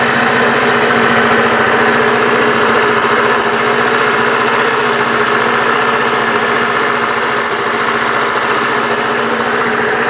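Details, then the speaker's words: Bashan BWS 2 scooter two-stroke after crankshaft repair for a worn lower con-rod bearing and cage; engine refitted, smooth even buzz holding steady ten seconds, no knocking from the bottom end; problem fixed; normal idle. "Итак ребята Как слышали никаких посторонних звуков стуков из двигателя уже не доносится то есть причина была действительно в коленчатом Вале то есть в износе нижнего сепаратора нижнего подшипника на шейке шатуна"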